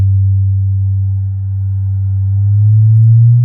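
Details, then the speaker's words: Infinity SM62 bookshelf speaker woofer after rotted-surround replacement, with a Leader LAG120B signal generator sweeping upward past 100 Hz: a clean, steady tone sliding smoothly up with no buzz, rattle or scrape. Normal woofer output. "We're going to start with the woofer test. They're running at less than 10 hertz right now. There's no noise whatsoever."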